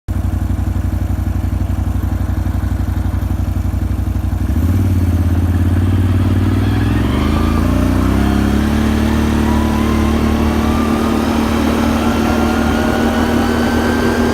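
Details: Can-Am Renegade 570, whining since new at 1000 km: engine pulls up and a thin whine climbs in pitch with speed, most obvious at 30–60 km/h under steady throttle; source unknown.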